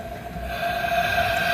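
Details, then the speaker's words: 2009 Toyota Matrix 1.8L with rough running and hard starting, judged to need an engine: rising, steady hiss with a faint whistle as the leak-down tester pressurizes the cylinder; air is escaping from the cylinder, cause not confirmed. "i got the leak down tester here so we'll put some air in here and if i put more air you can hear the air coming out oh yeah"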